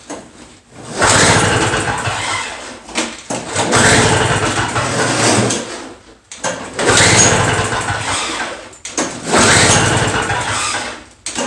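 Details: Two-stroke Toro snow blower with new spark plug fitted, choke out, primed: repeated pull-start bursts a few seconds long with pauses, never fires; fault remains, later blamed, probably, on a restricted carburetor jet.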